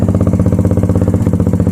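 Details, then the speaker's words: Motorcycle at idle after replacing the blown exhaust gasket and fitting a Megaton muffler, with a pod filter and untouched jetting: loud, deep, even idle with crisp exhaust pulses, no misses or rattles, little back pressure; sounds healthy. "Wow, that sounds good, man. That sounds freaking amazing. I bet that's not going to do it justice at all."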